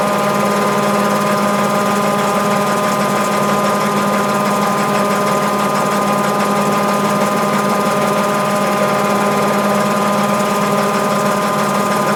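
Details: Mabe 18 kg washer, spin cycle with 110 V applied to thermo-actuator and drain pump throughout: steady whirring hum with even tones, no knocks or grinding, pumping out; normal spin cycle.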